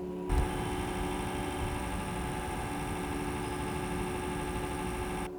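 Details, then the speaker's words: Asus R558U laptop (i5 CPU, 940MX GPU), mic held close while under processing load: a steady whirring hum with fixed tones and no knocking, an irritating noise from the dirty cooling fan before cleaning. "मैं चाह रहा हूँ थोड़ी processing on करूँ जिससे आपको idea हो कि फ़ैन चल रहा है तो कैसी आवाज़ आ रही है इसमें।"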